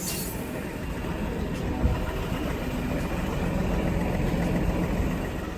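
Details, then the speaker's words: Range Rover bought at auction with a known engine problem, idling with a deep rumble and a loose, uneven rattle about three times a second; rattle is noted on the auction report, cause not stated. "Definitely sounds a little bit rattly. It's just supposed to sound rattly."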